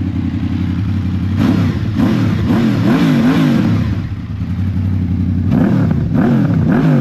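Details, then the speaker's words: Honda VFR800 VTEC after cam chains, tensioners, guides and valves replaced and throttle bodies synchronized, fully warmed up: loose metallic clatter over blipped revs with the clutch lever released, gone when pulled in; clutch basket rattle, otherwise silent. "gdyby nie sprzęgiełko teraz mam wciśniętą flankę teraz puściłem to by zupełnie była cisza"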